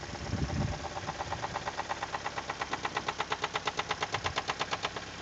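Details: Toyota 2E engine, knock began after about 5 minutes at 155 km/h on the speedometer: sharp, evenly spaced knocks, nearly three a second, over a steady idle; clear engine knock, cause unknown.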